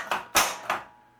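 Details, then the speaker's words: Williams Elvira and the Party Monsters pinball flippers after fitting correct flipper assembly parts (crank-link, coil stop) in place of incorrect ones that gave a dull thunk and buzz: three crisp metal snaps, no buzz; normal flipper action. "they feel really crisp and they're not buzzing anymore either the flippers feel and sound much better now"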